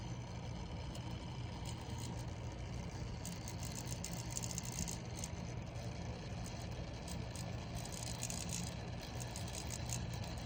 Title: Bewinner Water Cooling Pump grinding noise